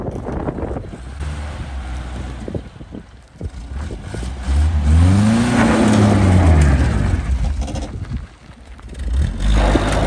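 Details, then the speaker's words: Abandoned 1965 Toyota Corona first drive after revival on temporary fuel tank: revs climb and fall with uneven stumbling note and hesitant pickup; engine running rough, fuel filter then found gunked, suspected cause. "so I'm pulling the fuel filter on it sounded like it was having some runability issues"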